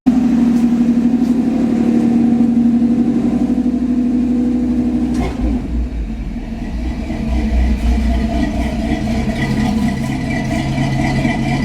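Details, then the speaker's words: Old carbureted vehicle on a December cold start, fired after pumping the pedal three times with the choke working: an even, steady high idle with a smooth rumble that settles lower after being kicked off the fast idle; sounds good. "Sounds pretty good, don't it?"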